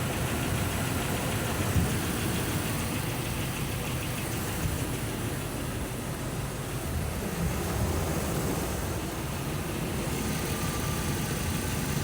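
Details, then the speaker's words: 2004 RAM 1500 5.7L HEMI idling after replacing exhaust manifold gaskets and bolts: even, steady idle with a low smooth rumble and no tick or tap on the passenger side; normal idle, manifold sealed. "No ticking over here. Although you can't see me, but if you're still here, there's no ticking on the passenger side."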